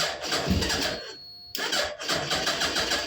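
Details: 2006 Suzuki Hayabusa with a no-start fault from a bad start switch, started by jumping the solenoid with a wire: starter spins briefly, engine catches cleanly into a crisp revving idle.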